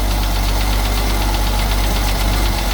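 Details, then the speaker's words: 1974 Ford 350 V8 cold start, engine oil never changed: loud, deep idle with a quick, steady tapping knock through it; owner blames unchanged oil, bottom end needs checking, cause not confirmed. "You hear that one back there making a little noise. It's just the motor was full of not oil changed oil."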